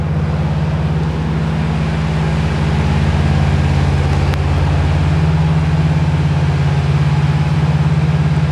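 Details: 1978/79 VW Super Beetle, air-cooled engine, original fuel injection now running after spark timing work: even, steady low chug at about three pulses a second, no misses or knocks; normal healthy idle.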